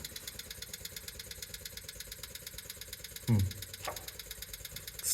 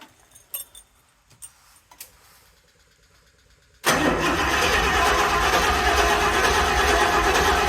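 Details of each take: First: 1974 Rolls-Royce Silver Shadow with carburettors and points ignition, not starting, fuel supply suspected: fast, even electric fuel pump ticking that never winds down after refuelling, sounding like it is sucking air; a large fuel leak was then found at the front. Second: 1974 Rolls-Royce Silver Shadow V8, carburetors and points ignition, first start after no-start troubleshooting with fuel pouring from the fuel system; quiet clicks, then catches and settles to a steady, even idle without knocks or misses; normal idle.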